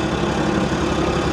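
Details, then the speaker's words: Car at auction, full of oil: rough, busy idle with a faint fast tick buried in the engine noise; unsure whether accessory pulley or top end; top end ticking at idle. "Guys, I can't tell if that's an accessory pulley or if that's like a top end shatter. We're gonna shut that off."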